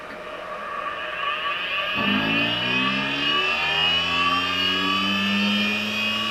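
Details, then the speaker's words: Late-1990s Seagate Barracuda 7200 RPM SCSI server hard drive on a table: spin-up whine rising to a steady pitch with a wavering buzz on top; severe spindle vibration making the drive skate across the table. "And then this one is also skating off my table."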